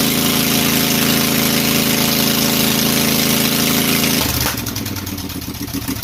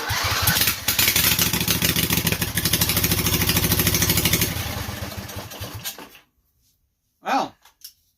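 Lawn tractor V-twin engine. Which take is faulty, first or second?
second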